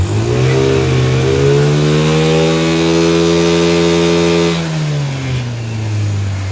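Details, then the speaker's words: 50cc two-stroke scooter, kick-started after tinkering, throttle cable just hooked up: buzzy revs climb, hold, then ease back to an even idle without stalling or stumbling; running properly, though it still needs more tuning. "running not bad I'll take it not bad for a couple hours of tinkering"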